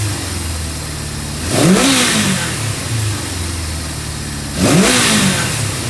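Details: 1974 Honda CB550 after setting timing and synchronizing the carburetors: an even idle with two crisp throttle blips, revs climbing and dropping back cleanly; the idle is adjustable, showing the carbs are synced and running smooth.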